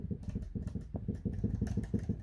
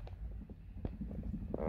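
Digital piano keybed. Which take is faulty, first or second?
first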